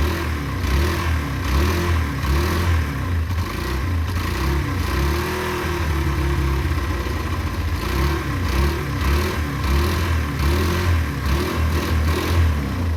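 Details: Derbi 125, a former non-runner, after a carb service and fuel tank clean: it catches quickly and revs up and back down cleanly in even blips, with a steady, regular beat between them; it runs normally.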